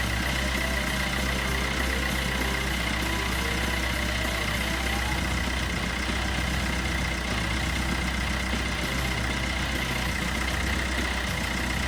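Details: 2012 Peugeot Bipper diesel after timing chain kit replacement (guide had almost broken off, was noisy): steady even idle, constant low drone, no rattle or slap from timing chain end; runs healthy.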